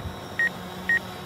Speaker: So you hear that beeping, that's it saying, hey, I'm gonna hit something. And it must be set for pretty far away because it was about 12 feet away when that started happening.